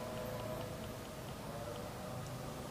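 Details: 2013 Mitsubishi Mirage Exceed automatic, inside the cabin during a used-car inspection: quiet, then one short, clear horn toot. Horn works properly.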